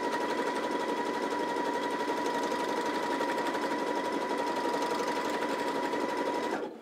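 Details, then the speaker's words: New Janome JW8100 sewing machine on maximum 7 mm zigzag at 1 mm stitch length: fast needle chatter over steady whine with wavering roughness in waves; lower bobbin thread fault, a stray strand snagging at the bobbin. "something's not happy inside of there and it's you can hear it happening in waves"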